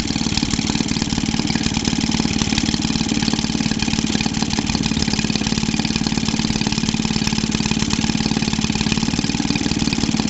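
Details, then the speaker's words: Maytag Model 72D two-stroke washing machine engine after repair, extra oil in fuel mix: fast, fairly even beat about 220 firings a minute with sharp pops throughout; running but popping and banging, original sound unknown. "Popping and banning, but oh well. I don't know what she used to sound like before I owned it, so if this is what she used to run like, then let me know if you ever saw this one running."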